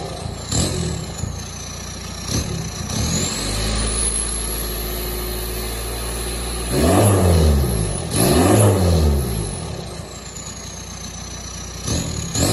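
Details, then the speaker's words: 1999–2005 Volkswagen Jetta after a catalytic converter and muffler delete, fitted with 2 1/4" straight pipe. A loud, raw idle burble, then two sharp blips climbing and falling back; an unmuffled exhaust, as expected. "I have the cat and muffler deleted now. It's gonna sound a little bit different, hopefully."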